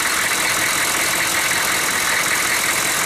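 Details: 1994 Chevy 2500 6.5 turbo diesel, warm (run 20 minutes earlier, about 70°F), lift pump now powered, injection pump reportedly replaced earlier; steady, even idle with light constant clatter, no misses or surging. Healthy normal idle.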